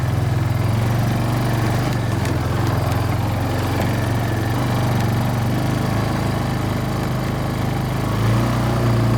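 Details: Kawasaki Bayou 220 barn-find ATV on test drive after carburetor cleaning, new battery, oil and air filters, straightened racks, rear right wheel bearing, seal and drum brakes: steady even single-cylinder putter at constant speed, no knocks, misfires or rattles; running really good.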